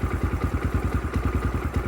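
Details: 2022 X-Pro Templar 250cc (DB-K012, 5-speed) single with a Nibbi PE30mm carburetor, idle adjusted down, about 65°F ambient: even, steady thumping idle around eight beats a second with no misses or surging; normal idle.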